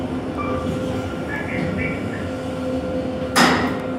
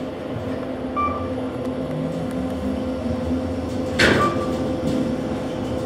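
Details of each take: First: KONE EcoSpace MRL traction elevator, installed 2015, 3,500 lb capacity, 8 floors, recorded riding in the car: steady drive hum with a nice-sounding motor, then a sudden harsh rushing scrape near the end; shaft noise of unknown cause. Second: KONE EcoSpace MRL traction elevator, installed 2015, 3,500 lb capacity: smooth, even motor hum through the run with a chime and door thump; normal traction motor running, though shaft noises are noted elsewhere.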